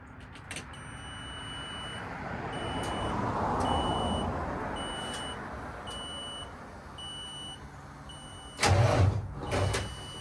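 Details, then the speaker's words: Truck cold start attempt, hard to restart: dash chime ticks, then the starter gives one brief heavy groan and stops after half a crank; batteries read 12.24 V, so owner says the starter lacks strength. Failing starter motor. "See how it it that was like a half a crank and then it just stopped. The batteries are good."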